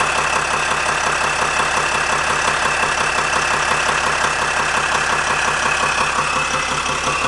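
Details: 2007 Sprinter diesel van idling with a steady, regular knock about two beats a second; knock suspected from the torque converter.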